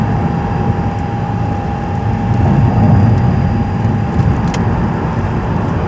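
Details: 2006 Mazdaspeed 6 with a steady, fixed-pitch whine through the clip above road and engine rumble; source not identified.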